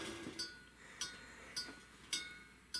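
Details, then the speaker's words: Primus Classic Trail Stove (model 2243) after the boil test with the burner turned down: faint sharp metallic pings about every half second as the hot stove and pot cool and contract. Normal cooling ping. "can you hear that that pinging that's the the sound of hot metal that little stove gets hot that ain't no joke"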